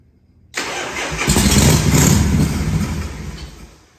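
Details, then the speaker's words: 1978 Harley Shovelhead FXS Lowrider, first start after long storage; catches on starter fluid and roars briefly then fades and dies within about three seconds, caused by a sticking accelerator pump check ball in the original Keihin carburetor. "So, all right, so here's the skinny what was going on. So In the bottom of the carburetor, that's the original key-in carburetor. Right there is the accelerator pump."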